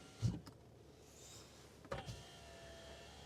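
A smooth, even motor hum runs between soft start and stop clunks; the window regulator travels cleanly and sounds healthy.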